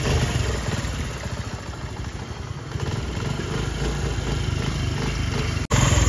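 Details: 2024 CD 70 motorcycle after setting tappet clearance with a blade, engine warmed up: steady, even low thump at idle with no ticking or clatter; the earlier head noise is gone and the engine idles healthy.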